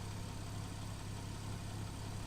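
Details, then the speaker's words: 2013 Porsche 911 Carrera S Cabriolet on a pre-purchase inspection, heard at the rear by the exhaust with no visible smoke: quiet, even idle with a steady deep hum and no skips or stumbles; no misfire, the engine runs strong. "hearing any misfires so that's good sounds like it's running pretty pretty strong here"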